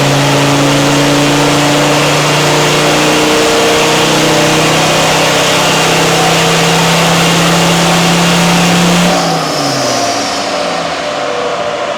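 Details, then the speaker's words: Defender Td5 110 diesel with an aftermarket CR VNT Race spec turbo, being retuned: held hard under load, the drone wavers up and down instead of holding steady, then backs off; boost surging and power dropping. "the more we lean on it with Boost it's not happy it's surging and making less power"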